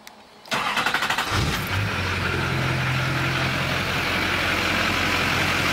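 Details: LB7 Duramax diesel just after a fuel filter swap to an ACDelco TP3018 with the water separator: the starter cranks about a second with quick chugs, then it catches and settles into an even, steady idle. Starting and running normally.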